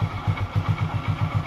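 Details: Hero Super Splendor single-cylinder bike, after refitting the self-starter motor that previously wouldn't start despite a fully charged battery: steady, even firing pulses about eight per second right after the start, no starter grinding; starting and idle healthy.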